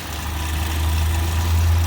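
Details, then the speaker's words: 2011 Chevrolet Equinox after throttle body cleaning, no check engine light; low, steady idle hum with even beat, no stumble or misfire, running a lot smoother: normal idle. "So it's running a lot smoother. And like I said, there's no check engine light, so that's how you clean throttle body."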